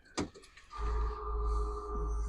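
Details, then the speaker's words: Diesel bus first start about 24 hours after shop work, following an earlier crank-no-start breakdown and tow; brief starter crank, then catches into a deep steady rumble with dash alarm tone; normal start. "go through the starting process there we go that's what we're looking for music to my ears all the alarms and everything"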